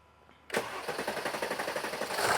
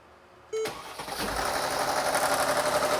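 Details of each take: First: 2017 Mercedes GLS 450 3.0 L with codes P0016 and P0011 and the check-engine light on: starter cranks evenly for a long time before starting; long crank. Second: 2017 Mercedes GLS 450 3.0 L with P0016/P0011 and long crank before start, after repair: brief crank, catches almost at once, revs up then settles into a steady even idle; long crank fixed.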